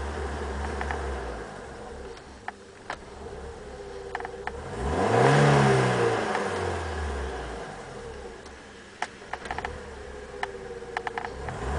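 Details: BMW E30 318i M40B18 four-cylinder idles softly, and a single rev rises and falls smoothly. The occasional stumble or stall near 2000 rpm was caused by a vacuum leak from a loose rubber hose; replacing the hose fixed it.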